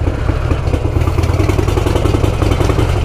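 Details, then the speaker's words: Motorcycle with new exhaust heat shield fitted after wrap removal, riding at low speed: low steady rumble with a loose metallic clank repeating almost twice a second; exhaust clanking, possibly the heat shield rattling. "Ooh, there's that Ducati sound. Clank, clank, clank, clank, clank."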